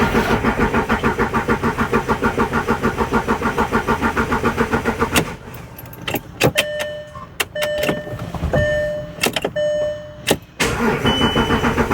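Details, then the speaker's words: 2011 Volkswagen Touareg 3.0 TDI after fuel filter replacement and fuel pump priming: about five seconds of rapid even starter cranking before it catches, extra cranking from air in the fuel system. "so I still took a little bit of extra cranking now that it's running"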